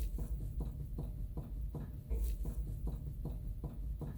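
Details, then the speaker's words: 2003 Toyota Corolla CE non-ABS, front wheel raised and rocked top-to-bottom: dull regular knocks from bad press-in front wheel bearing play; no noise side to side and no grinding sound. "you can hear that knocking there in the background as I move the wheel back and forth now when I go left to right you don't hear anything up and down though you do"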